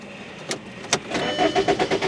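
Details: 2003 VW Jetta 1.8 that won't start when hot, codes P0321/P0322 (crank position sensor circuit): a few clunks, then starter cranks at an even beat but never fires; crank no start, cause unconfirmed.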